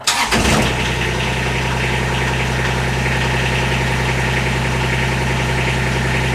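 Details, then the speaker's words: Kubota RTV 1140CPX diesel after a fuel system upgrade (filter/separator, pump, lines), cold start after sitting overnight with brief glow plugs: cranks briefly, fires almost at once, then a steady, even idle with no misses or knocks. Normal start. "that is amazingly fast it it turns over and starts immediately it has never done that so uh i am super tickled very happy with this upgrade"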